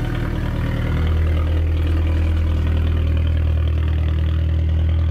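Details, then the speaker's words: 1.4 TDI VW Polo after clutch replacement, coolant topped up after a broken water housing, started to check the rattle is gone: steady, even diesel idle with a smooth low hum and no rattle or knock from the clutch area. "i've just topped up the coolant after i broke that water housing and now i'm just gonna fire it up to make sure the rattle is actually gone"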